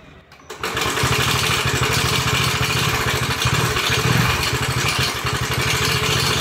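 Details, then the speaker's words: TVS XL100 six months after purchase, before full engine overhaul: starts into a harsh clattery running note with heavy metallic rasp over the beat, pointing to badly worn engine internals. "வண்டி எடுத்த 6 மாசத்துல வண்டியில இருந்து வரக்கூடிய சவுண்டை நீங்களே கேளுங்க."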